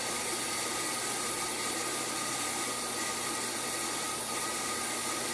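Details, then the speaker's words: SPARCstation 20 at power-on during RAM test: steady loud hiss with thin constant whine like a broken vacuum cleaner; cooling fan failing, later replaced. "but sigh from the fact that it sounds like a broken vacuum cleaner or something it seems to work really seems to work"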